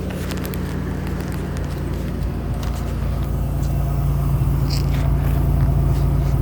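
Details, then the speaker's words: 1985 Nissan 300ZX Turbo 5-speed, stone-cold engine just started, on cold high idle: smooth, even low-pitched rumble slowly building, no ticking, knocking or misfire; healthy engine. "Okay. So, now um the comment was about the sound. Right now, we're going to be on high idle."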